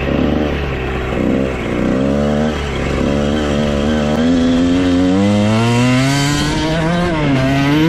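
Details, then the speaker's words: 1994 Honda CR125 two-stroke after crank seal replacement, head and cylinder decked: crisp, ringing note climbing cleanly through the revs under load, no bogging or missing; strong power, jetting spot on. "holy cow this thing could not be running better it's got to be the best 125 I've ever ridden it has a ton of power"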